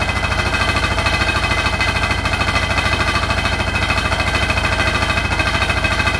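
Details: Hotpoint NSWR843C washing machine on final 1200rpm spin: a hard, fast rattle of about 200 knocks a minute over the spin roar; the cause of the loud rattle is unknown.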